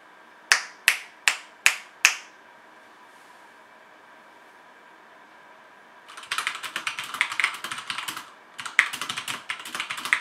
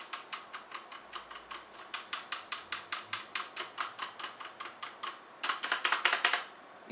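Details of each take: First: HyperX Alloy FPS Pro mechanical keyboard, Cherry MX Red switches, PBT plastic keycaps, aluminum top plate: typing test with crisp individual clicks then a fast even burst, clean bottom-out, no rattle; normal healthy typing sound. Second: HyperX Alloy FPS Pro mechanical keyboard: loose, rattly clack from unlubed stabilizers on space bar, shift, enter and backspace.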